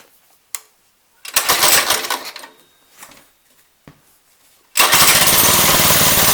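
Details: Lifan 2.5 hp go-kart engine after fitting a replacement carburetor (original leaked fuel): a few pulls and stumbles, then catches and holds a steady even buzz; running properly.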